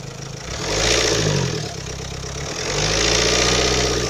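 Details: Renault Kangoo, K9K 702 diesel, warm: revs rise and fall with a raspy puffing hiss like a cracked muffler. It appears only after at least 10 minutes at 2000 rpm and seems to come from near the EGR; exhaust checked from manifold to muffler with no cracks found.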